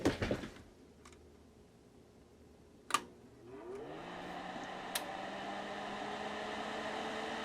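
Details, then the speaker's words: Crest Audio V900 PA amplifier, first bench power-up on 240 V, outputs already checked with no DC: quiet hum, sharp relay click out of protection, and a noisy fan spinning up; powers up normally. "Pops out of protection. I did already test the outputs for DC and nothing. That's a noisy fan."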